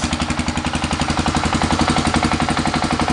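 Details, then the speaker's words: 1985 Honda 250SX ATV idling after a choke start: crisp, very regular single-cylinder thump around ten beats a second, no skips or knocks; runs good, no smoke. "yeah I said it runs good no problems there at all no smoke which is really really nice"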